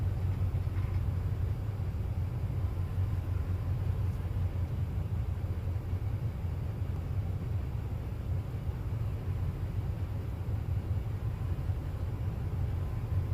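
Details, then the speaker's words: Well pump engine after rebuild, new head for dropped compression release valve, new gaskets and radiator: low, even rumble steady throughout with no knocking or surging; runs smoothly. "it seems like it runs way better now"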